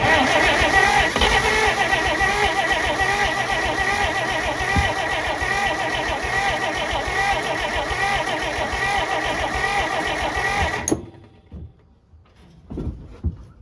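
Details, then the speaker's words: Abandoned 1948 Pontiac that sat over 35 years cranks steadily at about three and a half turns a second without firing; it is getting close, and the owner hopes it will run on its own fuel once it fires. "you guys hear that it's getting close it's getting close is what that means I think if we can just get it to fire off it should run off its own fuel"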